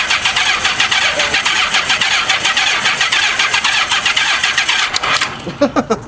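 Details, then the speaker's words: 1985 Honda Gold Wing 1200 after sitting 5 years: long starter cranking with rhythmic chuffs that never fire; electric fuel pumps suspected not working (not heard at key-on); crank no start. "so we know we don't have any fire"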